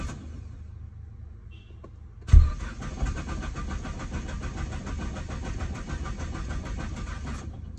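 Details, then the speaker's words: Nissan GT-R R35 with code P1220 (fuel pump module), fuel pump wired to the battery, jumper battery connected but still low: starter grinds over sluggishly for about five seconds and never catches; weak cranking from low battery. "Let's try again. Ah, battery is still low."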